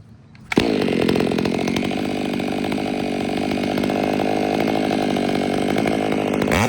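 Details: Warmed-up, Empire Workshop-ported STIHL MS500i with stock air filter, 32-inch bar, sharpened chain and seven-pin sprocket: the saw bites in and holds a strong, steady high buzz through the whole cut, without bogging or surging. Healthy under load.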